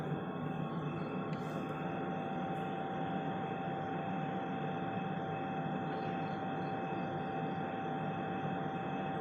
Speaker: โอ้โหเสียงเครื่องทำน้ำแข็งจากโรงน้ำแข็งมันทำไมมันดังอะไรได้ขนาดนี้เนี่ย